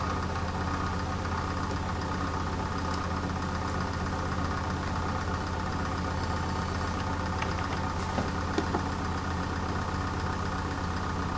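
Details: Medion PC sounding like a diesel engine: constant low droning hum with a faint, uneven rhythmic knock underneath, roughly one or two beats a second, like a small diesel ticking over.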